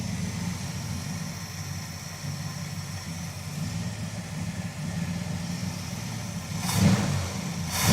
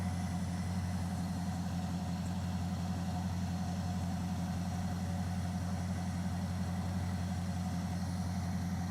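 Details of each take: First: V8 in a crew cab Charger project, idling after an oil change once the tick went away: uneven, stumbling beat, the engine misfiring again. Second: V8 truck engine idling smoothly with an even low rumble and no skips. The earlier misfire is gone after oil was topped up. Smoke followed from the exhaust, which the owner thinks may be residual Seafoam.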